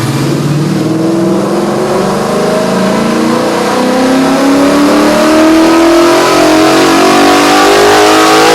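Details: 2001 New Edge Mustang, originally V6 with manual transmission, now with a Ford Performance Coyote Aluminator crate V8 and Cobra Jet intake, on the dyno: strong, even note climbing smoothly toward about 8,000 rpm, no misses; healthy, flat power as expected.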